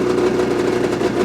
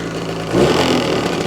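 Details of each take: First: Brand-new 2026 Ski-Doo MXZ 600 EFI Sport snowmobile with 2 miles on the dash, just started in break-in mode: an even, buzzy two-stroke idle with a steady mid-pitched drone and no stumbles or knocks. It is fairly quiet and idling cleanly. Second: New 2026 Ski-Doo MXZ 600 EFI Sport 129 with 0.2 miles, still in break-in mode, blipped twice from idle: a thin whistle rises with the second rev and fades as revs drop. Source still unidentified.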